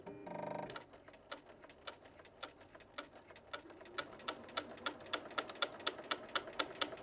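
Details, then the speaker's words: Bernina CB sewing machine running straight stitch before cleaning and oiling, with a new needle fitted: sharp, loud banging knock about twice a second; suspected dirt and lack of oil. "hello it's Katherine here at quilt direct I thought I would take this opportunity having this machine that's particularly noisy a really good opportunity to show you what a difference a good clean and oil will make"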